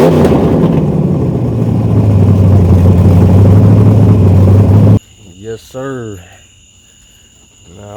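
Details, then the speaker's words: Chevy S10 Blazer with 383 small-block V8 and MSD ignition, after replacing two burnt plug wires (including number six) that caused two cylinders to misfire: deep, even rumble held steady, no stumble. Normal running on all eight. "that's how she the sound so we wasn't even down just one cylinder we had two cylinders misfiring cuz we had two burnt plugs I me two burnt plug wires"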